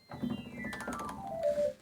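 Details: Gibson G101 combo organ under repair, on an isolated 115 V supply, piccolo voice: a clear run of high notes stepping downward, each clean and steady with no dropouts; piccolo voice working properly, fault suspected in the last two voices.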